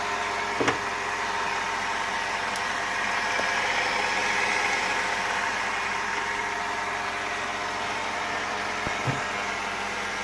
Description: 2006 Volvo XC90 V8 makes a whirring rattle at idle. What is it?